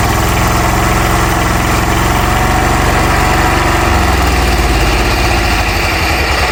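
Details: Hatz single-cylinder diesel on homemade Sears garden tractor; slow even thump at idle, steady beat with no misses or knocks, runs healthy: normal idle.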